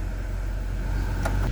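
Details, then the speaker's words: Car with electrical problems, recorded at the exhaust while warming up and then in gear after repairs: a steady, even low rumble with no misses; idle is smooth, though still slightly fast and hunting. "So, I don't know if y'all can hear, but it's very smooth."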